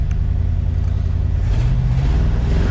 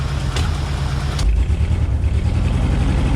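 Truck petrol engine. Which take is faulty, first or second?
second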